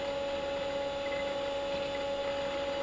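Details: Commodore Amiga A4000/040 at its annual test run, original 1992 hard drives: clean steady mid-pitched whine over a faint hum, no clicks or scraping; drives spin up and run fine.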